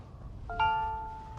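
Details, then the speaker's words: MG ZS EV after the comfort software update, driving off: single bell-like chime fading over faint road noise, the unbuckled passenger seatbelt reminder, now starting sooner and sounding nicer than before. "and also it seems to start chiming a bit quicker than before"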